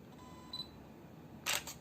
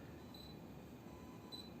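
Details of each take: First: Yongnuo 42.5mm f/1.7 MFT lens on a camera with AF on and the shutter at 1/50. A faint buzz and then a brief rattle of clicks as the aperture blades reset, similar to the Panasonic 25mm f/1.4; the reviewer dislikes it. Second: Yongnuo 42.5mm F1.7 lens on Micro Four Thirds camera, indoors: two faint high chirps and a soft click as the electrical autofocus motor hunts back and forth; normal focus noise.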